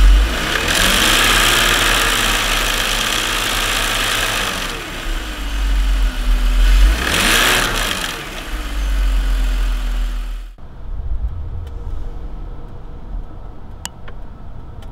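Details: BMW M54 six-cylinder with defective Dorman DISA intake valve, flap oil-covered, before replacement; harsh rattling clatter over idle continuing through a couple of throttle blips, loose DISA flap rattle.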